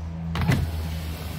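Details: Dodge Caliber with positive supplied externally; steady low motor hum with a light clunk as the glass starts moving; the windows go down and the window motors run smoothly and work.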